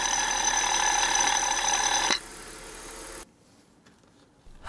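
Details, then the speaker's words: 1999 BMW 320i E46, M52 2.0 L inline-six, 5-speed auto, bought at ~77,750 km, heard at idle via stethoscope: shrill ringing whir from a worn belt tensioner pulley, idler pulley slightly noisy; tensioner, idler and belt to be replaced. "テンショナーノートが明らかに大きくて変な音でしたよねあとアイドルアプリもちょっと音が出てましたが"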